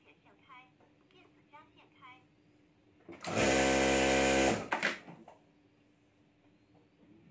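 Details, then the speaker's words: Sewing (stitching) machine after repair: short, even whir at steady pitch while stitching, no knocking or grinding; the earlier noise is completely gone and it runs smoothly. "अब आवाज नहीं आ रही है जो पहले मेरा नया वाला था ना इसी तरह से हो गया है और अब मैं सला के देखता हूं क्या होता है आवाज नहीं आ रही बिल्कुल भी आवा नहीं आही जो आवाज य आ रही थी व बिल्कुल चली गई"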